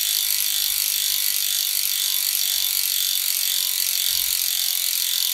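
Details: Freehub of a DT Swiss 370 three-pawl rear hub on the E 1800 Spline db wheelset of a 2020 Canyon Endurace CF SL Disc 8.0 Di2, freewheeling: fast, even, high-pitched buzz of pawl clicks, steady throughout; normal, healthy freehub.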